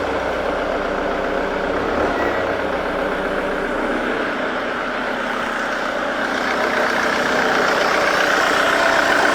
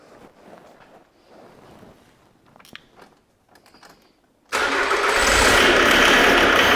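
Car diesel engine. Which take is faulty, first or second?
second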